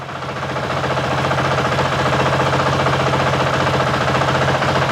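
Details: 2023 Honda CRF450X after San Diego Powerhouse thermostat delete kit and emissions delete, after 5 minutes idling, no leaks: even, steady single-cylinder idle, regular thump, no knocks or misses, sounds about the same as before; normal healthy idle.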